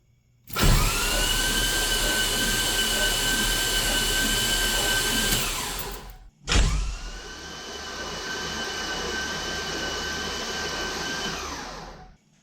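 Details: 1969 Camaro with LS3 swap and Holley Terminator X Max, first crank after months of sitting: oil primed, plugs and coils off, belt removed, no fuel. Two spells of steady even starter whir, no grinding or firing; normal cranking, no start.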